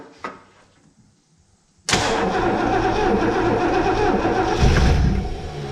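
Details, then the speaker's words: 1971 Lincoln Mark III barn find on old gas, fuel line just reconnected: after silence it catches with a sudden loud burst and stumbles roughly for a few seconds, never running cleanly; it cranks and fires but won't start, cause unconfirmed. "Alright, so let's try this again. It wanted to fire. We got the key on."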